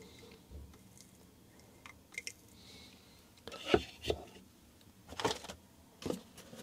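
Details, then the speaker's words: Cannondale Headshok DL70 damper rebuild with bleed screw on damper body: short wet squelching gurgles while cycling the damper after filling with oil, air cavitating in oil through shims, still needs bleeding. "so what we're going to do is put oil into the damper and then cycle it up and down so that it moves through the shims and whenever you hear that gurgling noise that's the air cavitating in the oil making"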